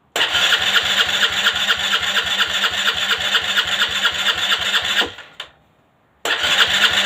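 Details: Aprilia Leonardo 125 scooter after a long time without starting: starter whirs and chugs about two beats a second for five seconds, stops, cranks again; engine never fires, prolonged cranking no-start.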